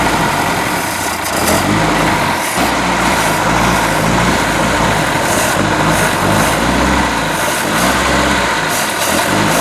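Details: Boat inboard motor just after new manifold installation, run on water muffs about 10 minutes: uneven, stumbling idle with lumpy beat; ignition timing off and carburetor needs rebuild, oil still water free.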